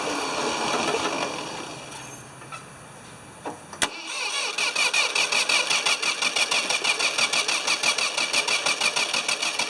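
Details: Ford 2600 tractor diesel with suspected worn rings, oil added to help seal: starter grinds over at about three turns a second with uneven compression and no catch; hard starting, low compression suspected, not confirmed.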